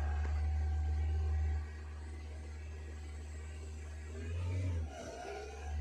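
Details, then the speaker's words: 2010 Suzuki/Maruti Wagon R idling with throttle position zero, about 2297 rpm versus ~800 normal: steady fast drone with a brief swell; high idle, suspected sticking IAC valve on throttle body, not confirmed; noisy alternator belt also present. "here you can see the engine speed above 2000 here I still the image for your view see the RPM is above 2297 this is the problem"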